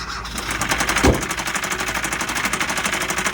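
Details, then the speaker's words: 2012 Kia Rio at auction, started with a jump and moved forward and backward: very loud, fast, even knocking through the whole idle; serious engine knock, cause not determined. "Actually did start up with a jump. Moved it forward and backward. Very loud knocking engine on this one, folks."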